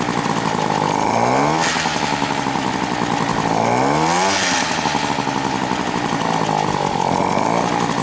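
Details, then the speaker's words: Moped two-stroke engine after a rebuild with a new spark plug, runs and accelerates fine but won't hold idle: raspy revs rise and fall unevenly, sag toward idle and stall; injection pump suggested, cause unconfirmed. "incapable de tenir le ralenti c'est à dire que dès que je suis au ralenti où on l'entend elle s'éteint"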